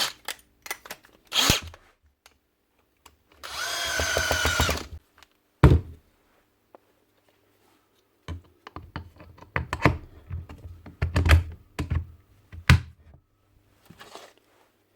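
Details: Milwaukee M18 FHIWF12 nut gun in for an intermittent switch fault (kept stopping on trigger pull; dirt and grease in switch): one clean motor whir of about a second and a half, even pitch, no stutter or clicking, runs normally.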